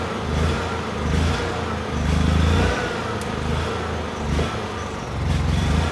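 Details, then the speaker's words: Honda EU6500is generator, half tank, eco switch off, light load plugged in: engine note swells and sags every second or two while still making power; previously stalled after 5–10 seconds — engine surging, fuel or spark problem suspected, not confirmed. "Although the generator is making power and the engine actually sounds very good, the engine speed is very unstable. So either it is a fuel problem or potentially a spark problem."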